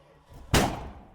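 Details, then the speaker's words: 1979 Dodge Ramcharger, former plow truck, not run for about 15 years, cranked after plug work before fuel system hookup; one sharp gunshot-loud bang on cranking; backfire while cranking. "holy crap I sounded like a gunshot she backfired hard my ears ringing"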